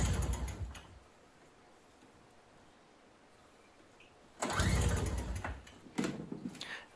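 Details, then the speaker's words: MTD 4.5 21-inch single-stage snow blower: pull-start cranking bursts, engine turns over but never catches; not enough to start before using starting fluid. "as you can see uh that was not enough to even start the engine so what i'm going to do now is just do a little bit of starting fluid"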